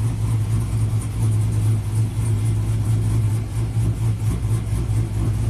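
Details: 2000 GMC Sierra 5.3 V8, tuned with cam and exhaust, idling. A deep, uneven rumble that stumbles, with misfiring and stalling; P0336 crank position sensor performance code persists despite a new OEM sensor.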